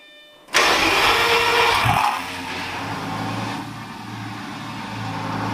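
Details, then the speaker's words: Fire-damaged Lamborghini Gallardo LP520 V10 start after starter-motor repair; fires almost at once with a loud flare, settles quickly to a smooth even idle; smoothest start yet, previously revved higher than normal. "Guys, it's working. It's never started as smoothly as it just did."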